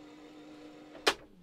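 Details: 1981 Toshiba RT-S702D radio cassette after mechanism service and new belts: a faint, even whir from the tape transport, then one sharp mechanical clunk as the mechanism shifts; fast forward sounds normal.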